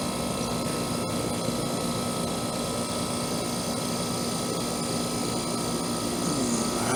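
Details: Trane AC condenser installed the previous June, warranty call for fan-only running; after fitting a hard-start capacitor/start relay, steady compressor hum under constant fan whoosh settling evenly, no clanks or squeals; running normally.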